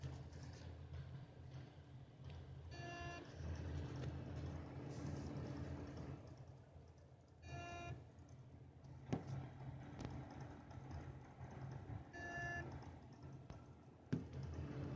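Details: Seidon 120V ver.2 liquid CPU cooler after a few months, CPU reaching 60°C seconds after power-on; short tonal beep repeating about every 4.5 seconds over a low hum, cause suspected, not confirmed.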